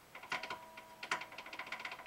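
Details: Light, irregular clicking and tapping as a fret rocker rocks across a guitar fret that has pulled up out of its slot and sits too high, causing buzz on that single fret.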